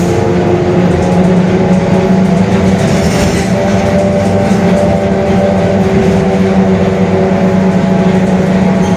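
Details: Mercedes-Benz OF-1721 Bluetec 5 extended urban bus, Mascarello GranVia Midi 2014 body, built 2021, cruising: a constant low droning hum and steady moan under the engine, from the rear axle, a growling differential.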